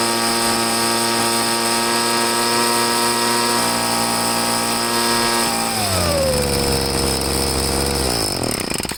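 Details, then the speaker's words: Troy-Bilt two-stroke leaf blower after carburetor cleaning, fuel added, carb slightly adjusted, air filter cover off; steady high-rev buzz dropping smoothly to lower speed; normal running. "it seems to be running good so i'll start it up now and you can check it out for yourself"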